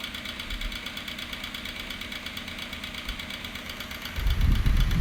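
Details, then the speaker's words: HP 9-inch high-velocity fan with cheap bearings: continuous run with a ragged rattle about four beats a second that never smooths out; bad motor bearings, but the fan still works. "it it sounds raggedy because the bearings are bad but at least it still works"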